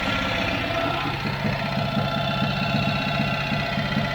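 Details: Bespoke three-wheeler built around a Citroen 2CV flat-twin, first run after 25 years of dry barn storage, started on a borrowed battery. Steady, slightly lumpy, fairly even idle; the old engine is running as it should.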